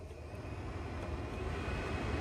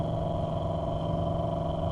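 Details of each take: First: 2008–2012 Chevrolet Malibu, newly replaced blower motor retested: a steady airy whoosh builds smoothly over several seconds with no rattle or squeal, then cuts off. The blower is healthy after repair. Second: 2008–2012 Chevrolet Malibu blower motor, dead until struck with a tool handle: steady rough whir with a grainy, uneven rumble underneath; failing blower motor, confirmed by voltage drop, to be replaced.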